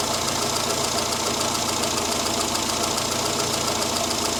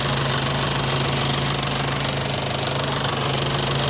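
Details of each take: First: Morris Minor at idle after the mixture was richened for its standard, non-high-power ignition, aiming for 13.8–14 AFR, with idle speed brought down slightly: steady, even idle with a fast regular pulse, no misses or knocks; normal idle. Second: Morris Minor on a cold choked start after corrected-heat-range plugs and a reverse-polarity coil fix: fast even ticking about four a second over the idle; loud fuel pump, which later went quieter.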